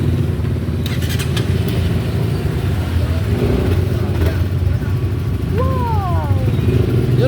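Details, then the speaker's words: Honda CBR single-cylinder after reseating a loose spark plug cap (noise had appeared after clutch cable replacement): smooth, even idle with a steady low thrum, clacking gone, engine healthy. "oh, wala na oh. Tahimik na ulit."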